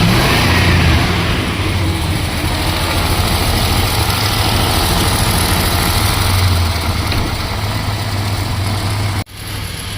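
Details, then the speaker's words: 1972 Plymouth Fury 440 big-block V8 barn find, running after sitting the better part of a decade, with a light rev. A deep, steady burble with an even lope and no knocks or misses. It idles smoothly and sounds good. "I am so excited I can hardly believe it actually runs but it runs and it idles and it sounds"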